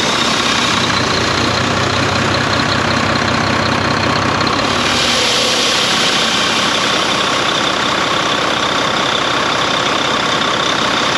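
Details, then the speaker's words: Volvo VNL D13 diesel truck first started after sitting about five months following a deer strike: loud airy rushing over the idle swells as the engine surges; air leaking where a seal is missing after earlier repair work. "no here is where it's coming from so there's a seal right there comes with a seal there's a seal missing from there"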